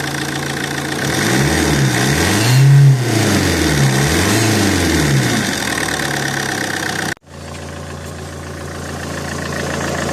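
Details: Alfa Romeo GT 1.9 JTD diesel revving twice then idling with an odd steady tone near the common-rail fuel pump; noise appeared after a turbo replacement and grew louder each km; exhaust manifold leak checked and ruled out; cause unidentified.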